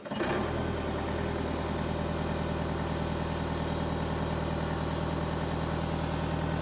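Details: Power Trac PT 1850 diesel articulating mower/tractor, with a hydraulic plug left open: steady, even diesel clatter at idle with a constant low drone and no misses or knocks; the engine runs healthy.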